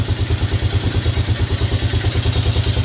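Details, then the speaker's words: Lawn tractor engine at fast idle while warming, after carburetor boot replacement, previously opened by someone else (two gaskets); regular hard clatter about three knocks per second on the exhaust beat; owner fears bottom end, cause unknown; engine knock. "did it sound like that before they started and now it sounds like that again is it is it the bottom end I don't know I hope not cuz I really do not want to split this case"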